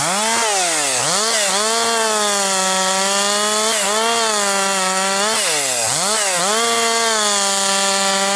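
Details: Husqvarna 262XP chainsaw after rebuild, breaking in bucking dry, dusty pine firewood; compression has come up, decent pull. Crisp high two-stroke scream dips briefly under each cut and snaps back quickly; normal running under load.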